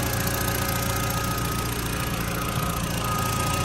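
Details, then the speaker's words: Audi TT Mk1 Quattro at idle after repairs, including a new MAF connector bracket: a steady, even low rumble with a light hum and no misses or knocks. It is ticking over nicely. "So that is ticking over nicely."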